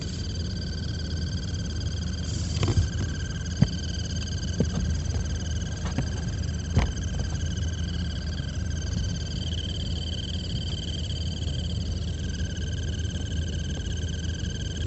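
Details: 2016 Alfa Romeo Giulia blower motor under glovebox: steady whir with high thin chirping and light taps, intermittent, after hours parked in cold dry weather, quieter in rain, stops once motor warms after minutes driving; tapping motor shaft changes it.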